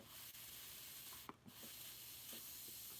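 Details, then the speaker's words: Used nitro RC car fuel tank tested by blowing through the exhaust pickup line: loud, steady airy hiss with short pauses, showing a cracked tank leaking near the pickup nipple. "a massive leak it appears to be coming from it appears to be coming from uh right here yeah this is the this is this is the Grand Canyon of leaks"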